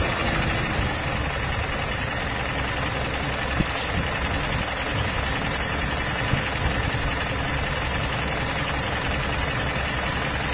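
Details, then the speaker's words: Mitsubishi Montero common-rail diesel idling on unsuitable Hyundai-brand oil that thins when hot: dense chirping, cricket-like metallic clatter over rough, shaky idle; oil change back to suitable oil cured noise and shaking. "mas lumalab naw pa siya na isang dahilan kung bakit nagkakaroon ng malakas na noise yan kailangan agapan niyo yan ang sama ng tunog para po siyang kuliglig eh"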